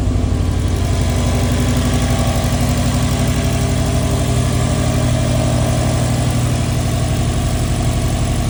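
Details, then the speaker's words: NASTI turbocharged car with Roger Clark Motorsport turbo kit, Corsa Veloce manifold, Fuel Lab surge-tank fuel system and new ETS 3-inch exhaust, in neutral: even, steady idle with a smooth regular pulse and a deep mellow exhaust note, no knocks or misses; normal idle. "And instead, we got the ETS 3-inch exhaust. Much better tone, much quieter,"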